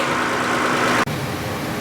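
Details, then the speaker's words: 2014 Dodge Grand Caravan with code P0305, plugs and coil already replaced by another shop, check-engine light steady. Coolant temperature is below 180°F. The mic sits at the back of the engine, and a rough, uneven idle with the engine shaking shows a cylinder 5 misfire. "so you can see it shaking but there's a pick from the back of the engine I'm putting the microphone back here to see if you can hear it"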